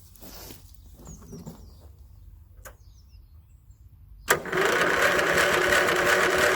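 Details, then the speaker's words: 1981 Westwood Gazelle W11 ride-on mower out of winter storage, tired with low compression, choke on: steady even cranking that never fires; spark plug found fouled and cleaned with a wire brush. "you can hear it wanting to go with the spark plug out you can see it's quite fouled so i'm just going to give it a quick clean with a wire brush"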